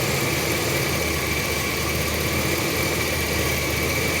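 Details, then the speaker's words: 2005 Chevy 2500 van with the 6.0 after a quick fix for rough idle and stalling: an even, steady idle with no misses that settles slightly lower. The filter is not yet refitted and a new MAP sensor is still to come. "you see my van is still running pretty decent, and it'll run better when I put the filter on."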